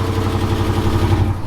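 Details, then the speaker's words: Driftcat engine on E85, cold start after fire damage: cold idle with a fast, even light tapping in time with the engine, likely valvetrain. The tick worsens, with backfiring; a cam, lifters, pushrods and valve springs are to be installed. "And it's cold, E85, but she cranks. Let her warm up for a second. She's a ticking."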